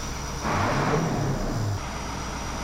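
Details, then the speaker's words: CAT 3208 diesel water truck after fuel-supply work (it used to suck the fuel filter dry): the engine revs up and settles smoothly with no sputter or rattle, where before it sputtered and rattled first; normal rev-up. "before before it was just it it sputter and Rattle and then rev up now it just revs up"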